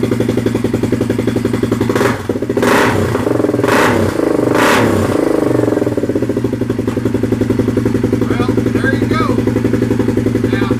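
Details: Polaris 570 Ace engine after complete rebuild following a strong knock failure, first start, fluids topped off: cranks, catches and revs a few times, then settles into a steady, even idle with no knocks or misses; healthy running.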